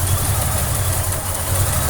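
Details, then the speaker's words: Supercharged Holden 202 six in a Torana, cold start just fired, after inlet manifold leak fix with copper gasket; steady even idle with faint blower whine, no hiss or stumble, AFR thought to look okay, hunts a little; normal. "you can hear the nice little sac of the supercharger now and that's basically a cold start I've only just fired it up and turn the Kimber on"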